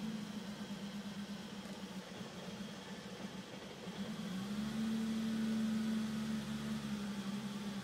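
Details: BMW E34 M5 idling: low hum with a drone that dips and swells instead of holding steady; a rough idle, described as a small issue, cause unknown.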